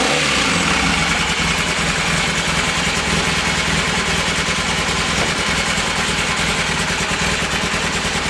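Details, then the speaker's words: 1982 Honda CB450SC Nighthawk motorcycle on the push-button electric start: it turns over and starts quickly, then settles to a steady, even idle with a smooth low beat and no knocks, ticks or misses, a healthy engine. "and as you can hear she's turned over and started programs quickly and no problems"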